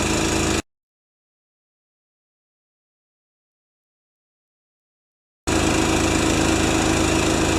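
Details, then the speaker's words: Honda-powered wheelbarrow compressor after sitting for years, with oil change, adjustments, new Kevlar belt, new rewind pull cord, output switch and gauge: small engine starts and chugs at a steady, even beat with no knocks or misses; runs smooth and healthy. "Oil change, adjustments, new belt, Kevlar belt, and she runs like a Swiss watch."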